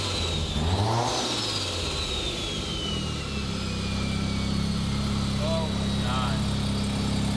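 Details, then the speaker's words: Turbo two-rotor rotary engine with no resonator, unloaded throttle blip: fluttering chatter and falling turbo whistle as the throttle closes; compressor surge because the blow-off valve spring is too stiff to open without load. "so now you're hearing compressor surge as that turbo lets off if the air is coming back out through the turbo"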